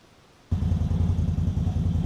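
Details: ATV winch with a shop-replaced cable that wouldn't pay out properly, paying the cable out fully: it starts with a low, rough, pulsing growl instead of a smooth whir. Abnormal noise; the owner suspects something busted inside, unconfirmed.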